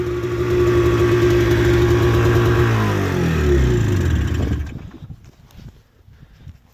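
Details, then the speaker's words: 1998 Arctic Cat Z440 fan-cooled twin-carb two-stroke snowmobile, carburetors recently gone through; revs fall smoothly from a high rev into a steady idle before shut-off; normal idle. "idle down, just takes a minute. Oh yeah, I mean, it kind of is what it is. It's an old sled. Does its job."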